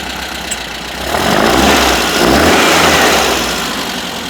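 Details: 1973 VW Super Beetle 1760cc with dual 40 carbs and new exhaust and fuel system, hot start: revs then settles with light, fast ticking of about three per second. Valve clatter from loose lash; to be adjusted.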